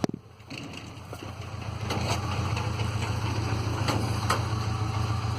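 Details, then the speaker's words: 2006 Ford Ranger 2.3L four-cylinder, 188,520 km, power loss, shaking and exhaust smoke: low, uneven lumpy idle rising after start; scanner shows no codes but counts 5,029 misfires, cylinder 3 misfiring. "miren en este caso me ha detectado sin 5.029 fallas por ende el resultado de que efectivamente hay un problema si hay un cilindro que está fallando"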